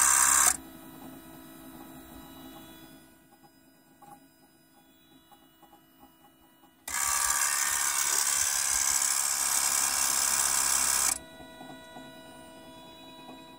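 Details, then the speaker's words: 2008 Toyota Prius in park, climate control off: high buzzing brake accumulator pump whirs a few seconds, stops, restarts for about four seconds, plus high-pitched chirping; pump cycling repeatedly. "it's in park and the accumulator is running on and off there's also an interesting like high-pitched chirping noise"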